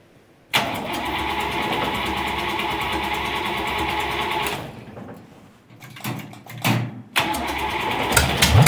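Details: Vintage nailhead V8 rail dragster, carburetor floats fixed after earlier poor running and a non-working accelerator pump, started without choke: catches quickly into a loud, lumpy idle, then blips crisply with no misfire; starts and runs properly.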